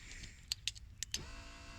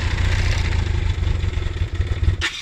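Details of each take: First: BMW K1200 in-tank fuel pump at ignition on. A few clicks, then a steady high electric hum starts and holds; the pump is spinning. If no fuel flows despite this sound, a blocked filter inside the tank is indicated. Normal fuel pump operation. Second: BMW K1200 motorcycle cranked with the internal in-tank fuel pump deliberately switched off. Starter churns with uneven low chugging for a few seconds and the engine never catches. Cranking with fuel starvation.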